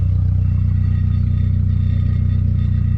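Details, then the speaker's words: VW MK3 Golf idling loud, fast even pulsing clatter about three per second over heavy exhaust drone; something rattling, source unknown, hum loudest at one corner. "But listen to this. They're rattling."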